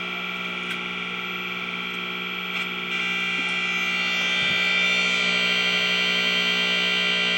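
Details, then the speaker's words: 1956 GE 14T014 black-and-white portable TV, a series-string set: a harsh, steady high-pitched audio buzz grows louder and rougher as a connection changes. The CRT's coating or something may not be filtering properly. "but the actual problem with the crt is the coding or something causing it not to filter properly notice how this changes the sound"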